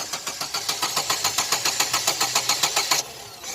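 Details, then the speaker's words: Chevrolet Optra cranking steadily without firing after coil leads and tappet cover gasket were replaced; no-start traced to the ignition coil already found weak on cylinders 2 and 3, coil to be replaced. "अब तो स्टार्ट ही ना हो रही है। चलो कोई बात नहीं, वैसे पहले पता पड़ गई थी कॉइल की दिक्कत है।"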